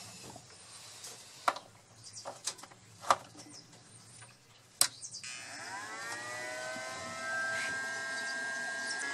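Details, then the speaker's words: 18Ah jumper pack powering a shop light in a runtime test; its internal cooling fan spins up after some clicks and settles into a steady hum under load; normal cooling fan run. "can hear the cooling fan on in here now and powering the light fixture so now we're gonna see how long will this thing run until we hear the low battery alarm on this pack"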